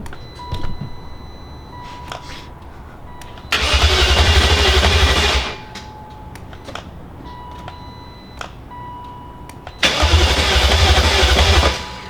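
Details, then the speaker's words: Replacement E38 engine first start attempt: two short bursts of cranking, about two seconds each, with a beep between, never catching; jump pack cycling on and off, too weak to hold power, cranking without starting. "Okay, so our jump pack is very cycly on off, and I don't think it's got enough juice in it just to hold it on for a while, which might be what this engine needs."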